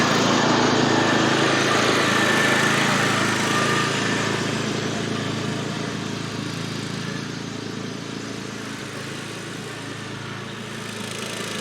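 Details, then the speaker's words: MTD Gold lawn tractor with a new aftermarket carburetor, after adjusting the high-speed jet to cure surging, no air cleaner fitted: steady, even full-throttle drone with no hunting. Runs smoothly at high speed. "that's easy running pretty smooth right there now at high speed"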